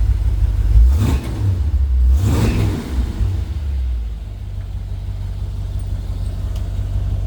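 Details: 1966 Chevy C10 with cleaned dual tank, new fuel pump and hard line to carb, carb not yet rebuilt: two quick throttle blips, then steady even low idle with no misses or knocks; normal running.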